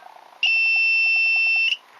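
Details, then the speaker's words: Ruptomètre continuity tester for Solex ignition timing: steady high buzz sounds sharply for just over a second as the breaker points open, LED lighting, then stops. "Et lorsque le rupteur va s'ouvrir, il va se passer ça. Vous voyez, ça s'allume et ça se met à faire du bruit."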